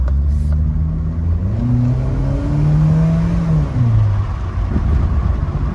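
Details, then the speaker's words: 2002 Mitsubishi Lancer automatic on first shakedown drive after ignition parts replaced and throttle cable adjusted: pitch climbs smoothly, drops cleanly at the shift and climbs again, no clunk or flare; smooth shifting. "Look how smooth that went, and then the shifting on it. Oh man, it was smooth."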